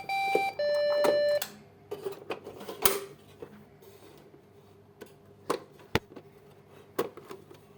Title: Fix 100% CPU Beep Sound Problem | Branded PC Beep Error Solution | Dell HP Lenovo | #tech #Shorts